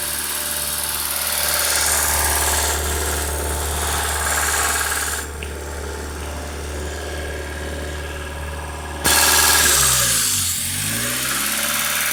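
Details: Honda Civic EU8 (5-door EP2), D16V1 with D16Y8 intake conversion nearly finished, idling; a constant airy hiss rides above the idle hum, the classic vacuum leak, source not yet found.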